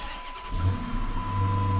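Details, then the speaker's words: 2009 Dodge Charger RT 5.7L Hemi, 185,000 miles, after first tune-up (spark plugs, coil packs with dielectric grease, valve cover gaskets, PCV valve): cranks and catches within half a second, even idle, no skipping, knocking or clacking. Normal start and idle. "Sounds good. It's not skipping, not busting up, not knocking, clacking, crankin"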